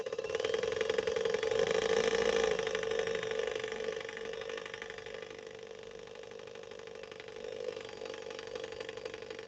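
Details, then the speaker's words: Swedish sewing machine that is overheating: the motor hums with a steady mid-pitched drone and a fast rattling chatter that eases off. The load is concentrated between the motor output and the bobbin winding assembly, which makes the winder drive noisy. "and we're kind of putting all of that pressure, all of that energy in that one area, that's where we'll tend to get a little bit more of a noisiness from this machine because it's not working correctly right now."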